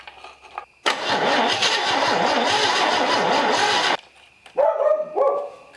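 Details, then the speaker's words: Chevy 250 straight-six from a 1964 C10, revived after sitting, cranks steadily about three to four turns a second for three seconds without firing after gas poured in; blowback from breather, lots of gas visible, owner suspects flooding. "I can see a lot of gas down in there so we might actually be flooded at this point"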